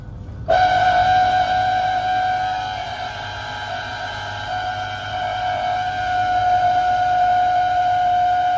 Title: Beko DSX83410W condensing tank making awful lot of loud noise